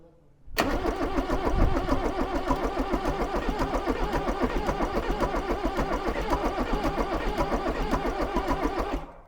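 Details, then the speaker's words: Range Rover Classic barn find, off the road eight years, rebuilt 2.5 VM diesel after re-glowing heater plugs: starter churns evenly at about three and a half beats a second for eight seconds with fumes but no firing; cranks but won't start. "well nearly there you can see all the fumes coming out like gone okay"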